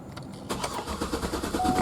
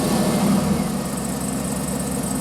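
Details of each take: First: 2008 Cadillac Escalade V8, intermittent fault: starter cranks steadily and repeatedly but engine won't fire, flooded by a faulty purge valve; starts only with throttle pressed. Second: 2008 Cadillac Escalade V8 with intermittent crank-no-start suspected from sticking purge valve: catches straight away, flares briefly, settles to steady even idle; normal quick start.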